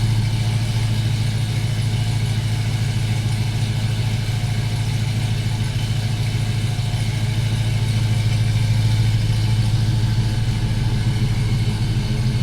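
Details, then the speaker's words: GMC Sierra 4.3-to-5.3 V8 swap with mild cam, new tune, cold idle after a couple weeks sitting: deep steady idle with mild lope about two pulses a second, smooth, not choppy, healthy. "The camera never really does it justice as far as the way it sounds. You can hear a little bit of the low. Like I said, nothing crazy."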